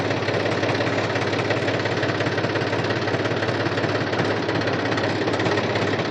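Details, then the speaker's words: New Holland Farmer 35 tractor, oil-immersed brakes formerly loud from bad oil, after refilling with Atlantis UTTO: steady engine rumble while braking in reverse, no squeal or grind; wet brakes working quietly. "मैंने ये break लगाया बिल्कुल भी आवाज नहीं है अब इसको हम रिवर्स में भी ब्रेक लगाएंगे बिल्कुल भी आवाज नहीं है"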